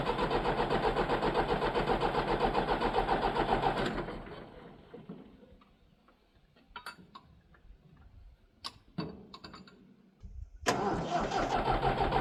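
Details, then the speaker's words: Leyland tractor, long unserviced, cranks steadily at about 220 compressions a minute but never catches, stops, then cranks again; no fuel reaching the injectors. Crank no-start from no fuel delivery; the battery later went dead. "at least it's nice and warm up under here yeah we got no fuel at the injectors"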